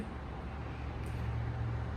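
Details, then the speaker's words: Twin turbo Nova V8 after flipping backwards-wired coils on one bank: deep steady rumble with even beat, no misfire, now firing on both banks; idle air-fuel still untuned. "but that sounds a lot healthier and better for sure now that it's firing on both sides of the motor instead of just one."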